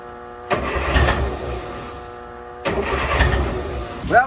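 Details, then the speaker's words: 1963 Austin Healey Sprite 1098, unused almost a year. Two uneven cranking bursts with no catch; it cranks but won't start. Fuel pressure is present, but the owner suspects a clogged fuel filter is starving it. "we are getting pressure but I think this thing is completely clogged up so what we're going to do is crack open this here and we'll replace that filter"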